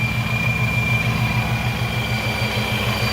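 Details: Procharger stage 1 kit car (804 hp) at idle after belt re-tensioning to stop the belt rubbing and shredding. Steady, even idle with a light belt whine and no rubbing or chirp. Supercharger drive is healthy.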